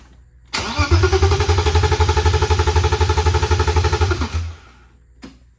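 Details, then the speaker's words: BMW E36 318i after a one-day engine swap, with fuel lines just flipped. Starter cranks evenly for about four seconds and the engine never fires: crank, no start. Engine ground wire not connected, suspected cause. "I mean it's cranking but that would that keep it from starting probably keep it from starting"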